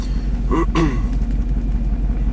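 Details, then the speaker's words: 2000s Chevy Silverado 3500 dually dump truck, 6.0L Vortec gas V8, 40k miles, owner reports lost power and flashing check engine light, plugs and injectors already replaced: deep idle rumble with an uneven lope and a brief squeak. Single-cylinder misfire, mostly on cylinder 1. "well no it does not see the pants just feels like a single cylinder misfire [Music] looks like it's mostly on cylinder one"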